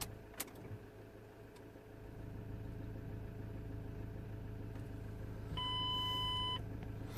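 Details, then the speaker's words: Ford Fiesta automatic that would not crank, stuck in gear, code P0919, after gluing and refitting a repaired part: ignition on, engine off, a steady one-second chime; a transmission malfunction warning persists. "obviously we still have a transmission malfunction"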